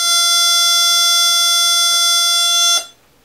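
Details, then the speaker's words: Samsung LN40A550 40-inch LCD TV power-cycling by itself: loud steady high-pitched screech that cuts off as the set shuts down, with lines on screen; main board fault, not the power supply, fixed by replacing the mainboard. "s power cycling sometimes you hear this um like squeaking noise and lines on the TV let me show you what it looks like"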